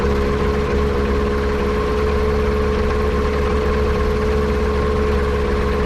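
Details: Kitfox airplane with Yamaha Apex engine at idle: steady idle with a faintly uneven, stumbling beat under a flat drone, sounding like a misfire; vacuum leak suspected, not confirmed.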